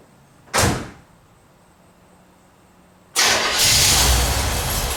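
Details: 1977 Corvette first start after over 6 years, fresh super unleaded, leaking fuel filter gaskets snugged: brief crank, catches and runs loud and ragged; rough idle, fuel leak remains, owner suspects an old hose.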